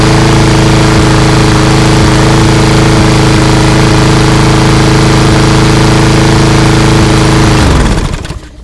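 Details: Craftsman 247.374410 mower with a Briggs EX engine that previously wouldn't start, after cleanup and an oil change: steady, even single-cylinder drone with no misses or knocks, then a clean wind-down; runs properly.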